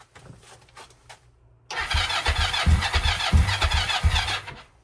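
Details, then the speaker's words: Non-running Kawasaki KLE 500 that leaked all its fuel, cranking with no fuel in it: rhythmic starter chug about three and a half beats a second, turns over but never catches; owner suspects lack of fuel, plans to fix carb first. "Can you hear it's all trying, but I think it's just lack of fuel."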